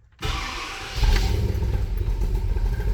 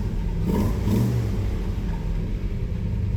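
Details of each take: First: Newly installed engine that makes no power, running rough: lumpy, stumbling low rumble with an uneven beat, rich from excessive fuel pressure. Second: Car with new big-cam engine that made no power, after distributor reinstalled and air filter fitted: starts nicely, deep steady rumble with even beat, no misses or knocks, idling around 1000 rpm; baseline normal idle.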